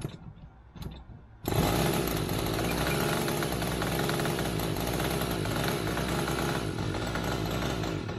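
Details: Limbo Dancer model aircraft glow engine first run-up, needles opened up, fuel drawn by hand: catches and settles into a raspy, slightly uneven buzz that never crisps up; very rich at the bottom end, top end not too bad.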